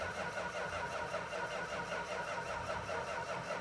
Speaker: it's difficult enough to do your foolishness without you disconnecting it and killing the motor the battery's weak